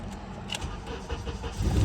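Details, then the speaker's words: 2003 Honda Accord in for an intermittent no-crank, no-start, trying to duplicate the fault: a brief, even crank catches quickly and settles to a steady low rumble; it starts normally twice. "it cranks starts no problem try it again it's doing it again no problem"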